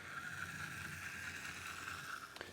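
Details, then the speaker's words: New Bachmann LBSC Thomas model locomotive, first run straight out of the pack: thin steady high-pitched whine with a buzzy gear rattle; excessive mechanism noise, though disassembly found everything assembled correctly. "oh sounds a bit tracked alike blimey listen to that lord i hope that goes away as the thing runs in crikey"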